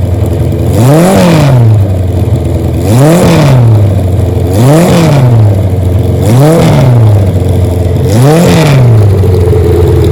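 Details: 1977 Kawasaki KZ1000 D6 sidecar racer, fired up to test the engine and transmission. The inline four blips cleanly up and back about every two seconds, crisp and even with no misses or clatter, and no smoke: normal engine revving.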